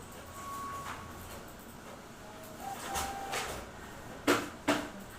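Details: Xerox WorkCentre 7855 printer: two sharp loud cracks about half a second apart over faint hum from the cartridge area; cracking noise, toner/drum cartridge hard to remove suspected, fix is reseating or replacing cartridges.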